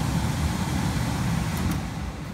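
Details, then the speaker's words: York Diamond 80 gas furnace on a no-heat call: blower motor runs with an even low hum and steady airflow rush, no rattles or squeal; limits all closed, fault traced to a bad thermostat. "And there's the blower motor. You can hear the blower running."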